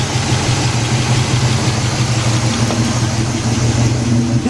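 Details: 1977 Buick LeSabre 350 V8 after engine removal and gasket overhaul, warming up with choke not working, no antifreeze, timing just adjusted: steady, even idle with low smooth rumble, no knocks or misses; healthy.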